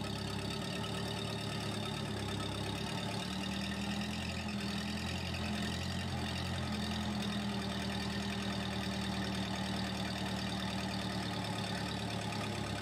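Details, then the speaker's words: Case 450D dozer diesel with Roosa Master pump, after repairing the stump-broken throttle linkage: slow, lazy idle with a low, loping beat well under normal; the idle speed is set too low and needs adjustment. "so the idle's still pretty low but we ended up moving it back closer"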